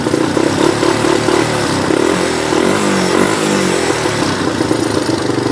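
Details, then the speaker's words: Yamaha YTM 200 single-cylinder ATV with throttle cable broken, idle set slightly high: engine putters and blips, pitch rising and falling with throttle, firing steady without misses; running good and strong. "maybe I'll get it running one more time for you just so he just so you can hear it we rub it up a little bit"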